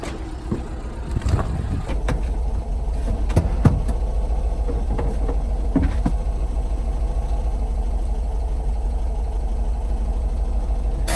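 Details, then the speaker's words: 1977 VW van/bus just after first start, oil pressure light now off: low, uneven idle with a loping beat and occasional stumbles, sounding like it may stall. Rough running; a bad coil is suspected, not confirmed. "Sounds like it's gonna die."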